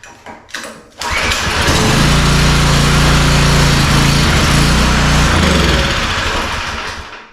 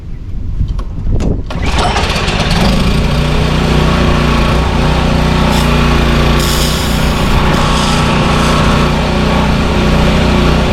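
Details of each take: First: Pressure washer with 4-stroke lawnmower-style engine after carburetor cleaning, full choke and throttle: pull start catches, fast steady beat for several seconds then fades; runs only on choke, main jet probably still too lean. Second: Power washer with 4-cycle lawnmower-style engine, after carburetor work, hooked to water hose: catches after brief crank, steady even drone holding speed under pump load, spraying well, unloader releasing pressure on handle release; considered fixed.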